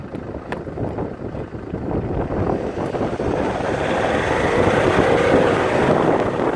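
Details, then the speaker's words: Land Rover Freelander 2 SD4 2.2 diesel on road test after repair: steady smooth swelling pull under load and boost, no hiss or whoosh; earlier noise under boost gone, caused by a boost leak in a reused hose. "the noise is definitely gone and indeed was just a boost leak in that hose that we kind of reused"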